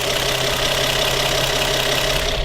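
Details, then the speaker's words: Nissan 350Z at operating temperature after camshaft angle sensor repair (P0340/P0345/P1084) idles with a busy, clattery rattle; steam from the exhaust makes the owner suspect a blown head gasket or cracked head. "Kind of noisy and rattly."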